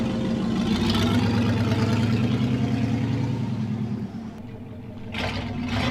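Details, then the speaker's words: 1964 Oldsmobile Super 88 V8 idling after new spark plugs, fuel filter and fuel pump: steady, even lope with no knocks or misses; healthy and smooth, running much better than before. "new fuel filter new fuel pump um it's running really really good"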